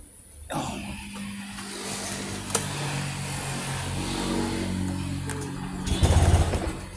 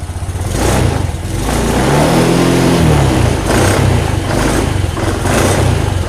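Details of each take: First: Honda Beat Deluxe scooter that died in about 40 cm of floodwater: starter churns, then the engine catches into an even pulsing idle, about three beats a second; owner suspects the coil-to-spark-plug wire was shorted by water. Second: Honda Beat Deluxe scooter restarted after stalling in about 40 cm of floodwater (coil-to-plug wire suspected): fires up and pulls through quick revs that rise and fall cleanly, no misses or stumbles; running properly.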